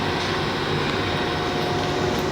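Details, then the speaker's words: UNH CBT test machine hydraulic pump, just switched on before pressure is raised to 400 psi in the cylinder: steady even hum with faint constant tone, no knocks or surging; pump running normally. "now the pump is on. We're going to bring up the pressure in the cylinder to 400 psi. You can hear a change in sound for the pump."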